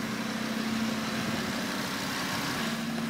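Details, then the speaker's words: Audi RS3 with a freshly built forged engine and a hybrid turbo, restarted after clearing codes: a steady, even idle with a smooth low hum and no knocks or misses. No engine light returned; it runs super smooth. "on that exhaust sounds good man but yeah look no more engine lights at the moment I didn't expect it to come back cuz the engine is running super smooth"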